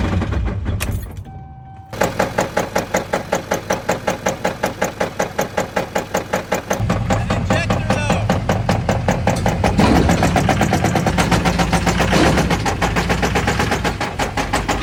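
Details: LML Duramax diesel after roughly 12k miles: began as a light tap on light acceleration, now a heavy regular clattering knock of two or three blows a second; broken crankshaft.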